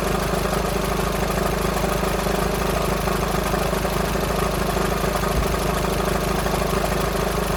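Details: VW Sharan 7N 2.0 TDI common rail diesel (CFFB), cold start after new timing belt, injectors refitted and fuel lines drained without bleeding; light regular rattle about two per second over idle clatter; owner suspects tensioner pulley, not engine.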